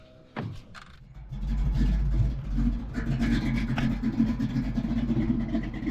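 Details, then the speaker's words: Cammed $1000 Foxbody first started after sitting 10 years, using brake clean and tapped injectors: after a clunk it runs an uneven, lumpy idle with irregular low thumps, not firing on all cylinders. "I can't believe it's idling. Ooh. We got it to run. It's not firing in all cylinders."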